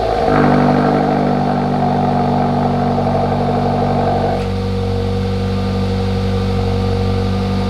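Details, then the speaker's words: Hyundai Elantra GT / i30 N-Line 1.6T, first cold start after fitting XForce Varex valved catback exhaust, valve open, then shut. Loud, even high idle drops much quieter partway as the valve closes, smooth and healthy: normal cold start with exhaust valve. "Okay, so there was you guys' first start. Of course, the valve was open, go figure, right? But it sounded good."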